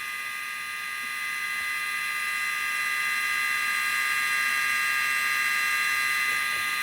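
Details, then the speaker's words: Mojave Grom RC on 3S with upgraded 32,000 RPM Rocket 25mm motor cooling fan replacing weak stock fan (wires soldered over): steady thin high-pitched whine, even pitch, no rattle or wobble; normal fan running. "can hear it now. Before you couldn't hear this fan. On the stock one, that thing's so weak. So now you guys could hear that fan. That thing's pretty strong."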